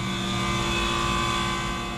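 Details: Water-cooled walk-in cooler compressor after water regulating valve adjustment, head pressure 150, back pressure 21.2, cold suction line: steady even mid-pitched hum, no knocking or rattles; running normally.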